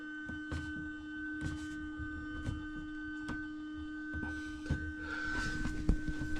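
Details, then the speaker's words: Motorhome fresh-water pump (Truma system) unused for years, tank previously dry; steady mid-pitched electric hum with light clicks, no water flowing, suspected airlock or pump run dry and possibly ruined. "What I think's happened is it's got an air lock in it or somebody has tried running this with no water in the tank. If that's the case, then I'm guessing this pump is no good."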